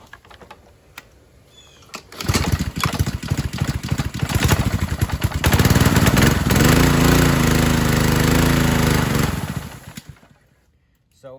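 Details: 2015 Ryobi 3100 PSI pressure washer with a Honda GCV190, tested with the idle-down spring removed: it starts and holds a steady fast buzz, then sags and quits instead of idling. The idle-down cable was binding and suspected rusty; it was fixed by adjusting and lubricating it.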